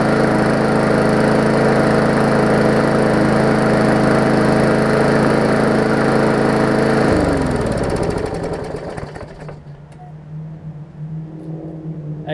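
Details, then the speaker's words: Murray 3.5hp Classic push mower after extensive service: even, steady single-cylinder drone with no misses or surging, then clean cut-off and wind-down; smoke cleared, just a little oil in the muffler; runs healthy. "and it's starting to clear up now that's good it's a little bit of oil the muffler is all it was so all right i wonder if it'll restart"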